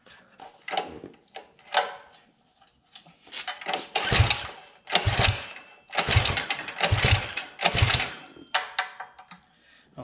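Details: Coleman CT200U-EX mini bike, Predator 212 with unknown internal mods, billet flywheel, VM22 carb, dual exhaust, sitting a while: pull-start bursts sputter and die about once a second before it catches; owner suspects dirty carburetor.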